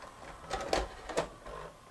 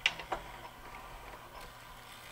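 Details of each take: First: Sony SLV-N700 VHS VCR: on eject it takes the tape back with soft gear whirs and two clean clicks, no grinding or skipping; normal eject. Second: Sony SLV-N700 VHS VCR with cracked mechanism gears, tape loaded after a first check: light whirring and clicking from the transport with rising motor whine as tape pays out; tape spill from a broken mechanism gear.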